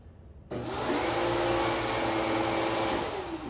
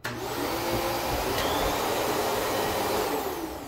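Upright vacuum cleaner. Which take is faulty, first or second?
first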